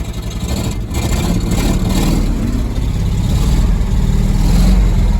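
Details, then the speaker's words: 1975 Ford F250 FE 390, first start after 30 years, freed up, on mismatched spark plugs: loud raspy V8 rumble with open, blatty note as it revs; suspected bad or leaking exhaust, oil pressure good. "Sounds like it's got a bad exhaust."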